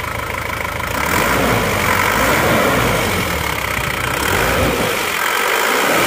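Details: Isuzu Panther diesel at working temperature, after new original liners and piston rings fixed a compression leak that smoked at the oil filler cap and dipstick; steady, even clatter with a smooth regular beat and no knocks or misses, no smoke; normal idle.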